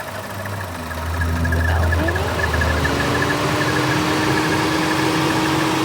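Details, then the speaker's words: Vehicle at idle, just started; a thin high chirp repeats about four times a second with a faint whine that the owner says shouldn't be happening: squeak of unknown source. "It's always done that, but but the squeaky sound is what's freaking me out a little bit. I just got in. No, it shouldn't be doing this."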